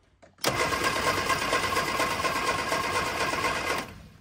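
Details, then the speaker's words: 1965 Innocenti S Spider with 1098cc engine, sitting for years, points cleaned and good spark confirmed: the starter cranks steadily for about three seconds without firing because no fuel is reaching the engine yet. "so you can see we do have a good spark now now if we get fuel to it this engine might run"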